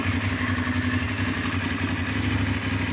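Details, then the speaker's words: Voge DS900X motorcycle after dashboard firmware update 4.7 to 4.9: even steady idle burble with soft mechanical patter, no knocks or rattles, sound unchanged from before; normal. "Masih bunyi yang sama, tak ada bunyi yang berlainan, tak ada jadi special sound pun pada kita punya motor."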